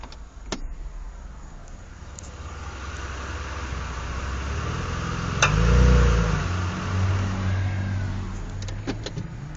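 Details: 2007 Mitsubishi Eclipse pulling away from a stop: a few sharp clicks over low engine drone, louder reversing uphill under load; left drive axle diagnosed, both axles replaced and noise gone. CV axle clicking under load.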